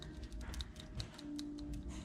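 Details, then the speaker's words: Removed PCV valve from 2003 Subaru Forester, shaken by hand, likely never changed despite 40,000 interval; quick light clicking about five per second as the check ball rattles freely. PCV valve working. "I was any good because you could hear it like there's a little ball and everything oh you can hear it"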